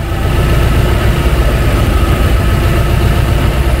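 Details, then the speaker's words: 2003 Ford Thunderbird at idle on an 18-degree morning, just after the electronic throttle defaulted and lost control: uneven, stumbling low thrum as the engine misfires while trying to control idle. "okay so we can see where we're controlling the throttle and then it defaulted and we can hear the engine and the engine is now misfiring i can hear it so it's trying to control the the idle"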